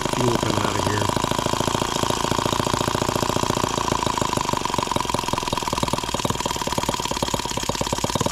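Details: Microcosm H76 small engine on its first start, throttle cracked open: fast rattling, uneven stumbling firing with a loose rhythm; misfire.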